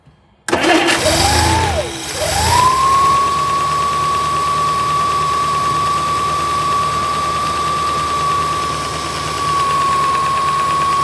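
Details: 1964 Studebaker Avanti R2, Carter AFB carb after needle-and-seat and accelerator pump work, supercharger intake off, cold before warm-up: catches after stumbles, revs, settles to steady even idle, no misses. Normal idle.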